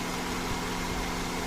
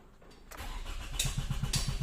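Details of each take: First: 2006 Toyota Camry automatic idling after its no-start issue was repaired and a test drive, checked for stalling: a smooth, even idle with a steady low hum and no misses; the idle is normal. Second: 2006 Toyota Camry automatic with a no-start after alternator replacement, no fault codes stored, crank sensor reading not rising; starter turns engine over at a steady, even four beats per second for a couple of seconds but it never fires: crank no-start.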